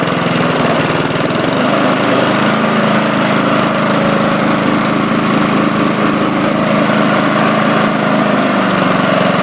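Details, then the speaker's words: Briggs & Stratton 3.5 hp engine on a Bolens mulching mower, after a new spark plug, carburetor clean, sharpened blades, fresh gas and an oil change. Steady, even single-cylinder drone with no misses, surging or knocks; running smoothly. "I sharpened up the blades, put in new gas, and changed the oil, and it runs really well now. Let's hear how it starts."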